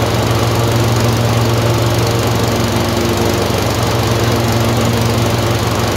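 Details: Tecumseh 22HP twin-cylinder engine surging: loud steady drone with an uneven stumble about twice a second, misfire alternating randomly between each cylinder.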